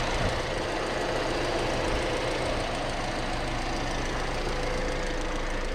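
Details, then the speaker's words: Petrol engine idling evenly with a steady low hum after a dressing was applied to the belt; alternator, its bearings and tensioner pulley had already been replaced; restarted with no belt squeal or chirp. "вот так решается проблема с роликами не надо менять там точнее с ремнем не надо менять кучу роликов там еще раз попробовать запустилось и не свистнул все отлично"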